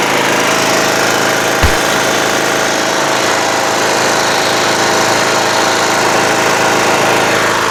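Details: Toro Wheel Horse 1238XL lawn tractor after carburetor replacement, restarted by jumping the busted solenoid: constant even idle roar, no surging, knocking or hunting; charging battery at 13 volts and rising, running properly.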